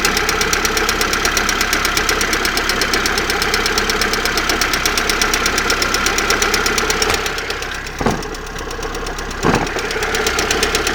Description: стук в районе выпускного коллектора, что может быть?